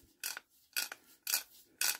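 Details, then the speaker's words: Barford Atom hub ratchet after cleaning and oiling: crisp, even ratchet clicks about twice a second, each a clean rasp with no dragging or skipping; ratchet now engages every time, fixed. "there we go that is perfect hear that"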